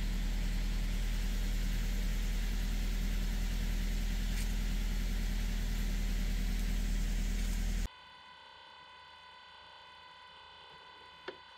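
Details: Ford Focus C-Max 1.8 Duratec petrol, six years owned, hot day: steady, even low idle with smooth regular beat and no knocking or rattle; engine sounds healthy.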